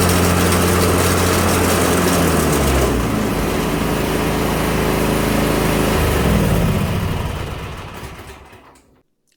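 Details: Craftsman Z530 zero-turn, blades engaged: engine steady, then deck engages with heavy rough drone and rattle, deck vibrating and idler arm jumping; bad belt, idler pulley or spindle bearings, or bent blade suspected.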